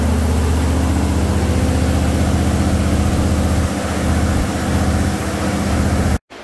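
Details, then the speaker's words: Jeep CJ5 freshly built engine with Holley EFI, break-in at about 1850 rpm, coolant about 208°F, both electric fans (190/200°F): steady even fast-idle drone, no knocks or misses; running cleanly, oil pressure 45+ psi. "about 208 right now the second fan comes on at 200 degrees so one at 190 one at 200. the 1850 RPMs right in that ballpark"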